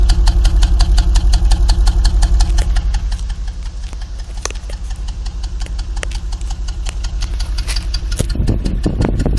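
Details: 1989 Toyota Supra Mk III 7M-GTE single turbo, parked at idle: deep exhaust pulsing about three times a second, slightly uneven lumpy beat; rough idle with cabin vibration and engine shaking on mounts, owner feels like one cylinder misfiring.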